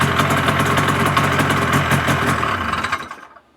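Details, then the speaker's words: 1981 Ski-Doo Blizzard 5500 snowmobile after carb cleaning and new primer line, first-pull start using the primer: two-stroke fires and runs with crisp, fairly even popping before shutting off; runs normally. "so that's the great thing about these scos with the primers if you know what you're doing they're fantastic and and their first pole start every time"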